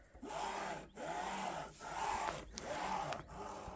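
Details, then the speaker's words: Creality Ender 3 V3 SE 3D printer, fresh unboxing, axis pushed by hand: rasping scrape in repeated strokes of about a second, awfully loud; cause unknown. "weird okay sounds awfully loud it's like something's almost like scraping I don't know maybe I'm delusional"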